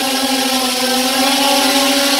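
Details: Restored JJRC X17 drone in flight after repair with replaced arm: steady, even high-pitched hum from all four motors, slight rise near the end; healthy. Normal drone motors in flight.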